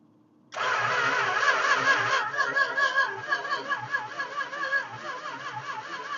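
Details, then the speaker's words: 1969 Chrysler Newport, factory 383 Magnum V8, sat 40 years, fed by electric fuel pump: steady cranking but never catches; distributor wiring installed with number one on the opposite side, ignition timing a full 180 degrees out. "it's a whole 180 out all right that's our problem that's why it's not firing up"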